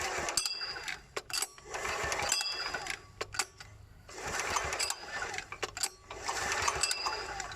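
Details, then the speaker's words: KANTO KT-DP30H 3-inch diesel water pump, bleeding fuel with the pull starter and valve pressed: slow pulls about every two seconds with quick dry clicks as fuel reaches the injector, ready to start. "แล้วก็ดึงไล่ไปเรื่อยๆครับเดี๋ยวมันจะมีเสียงแปลกๆของหัว4มาตรงนี้ดังแก๊กๆขอดูนะครับ"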